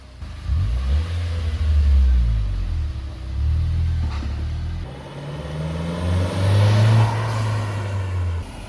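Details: Turbo Nissan Juke Nismo RS salvage rebuild, driving after full motor-out repair: deep engine note rises and falls smoothly through repeated pulls with clean gear changes, no knocks or rattles; healthy under acceleration.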